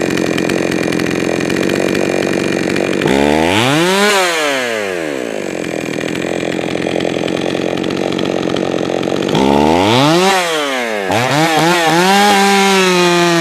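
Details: Jonsered 525 chainsaw, freshly fired up and tuned: sharp rev rises and falls from a buzzing idle, stumbling coming off throttle; the low-speed mixture is too lean, so low-side fuel is richened.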